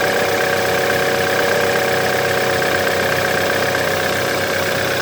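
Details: 2011 BMW F10 with N20B20 engine at idle, before timing chain replacement: steady metallic rattle over an otherwise even idle, typical of a stretched timing chain slapping its guides; timing chain noise.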